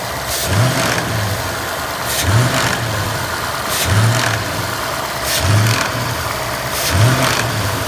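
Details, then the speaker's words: Ford engine in neutral, standing still, blipped and released about every 1.5 seconds: brief metallic rattle after each throttle lift-off, source unknown; unlike the owner's constant-2000-rpm typewriter tick complaint. "so as you can hear there is another type of I don't know what type of sound when there is liftoff when the car is in neutral and standing still"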